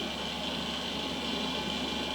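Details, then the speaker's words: Beige vintage AOpen desktop PC with dual-boot Windows 2000, first power-on after purchase: a loud, steady rushing whir with a fixed high tone, far louder than normal; owner suspects a dying fan. "oh it is loud though i don't know if a fan is dying or what but hopefully you all can hear that"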